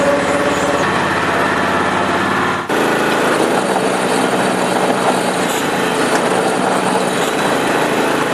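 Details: Honda HS928 snowblower started outside after auger gearbox repair, auger spun without snow: small engine runs at steady, even speed, brief dip as load changes, then carries on smoothly; healthy.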